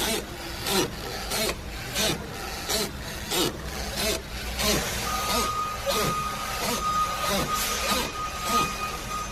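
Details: Dry rhythmic creaking about 1.5 per second when steering is turned left and right, from worn strut top mount bearings, not the tie rods or rod ends previously blamed.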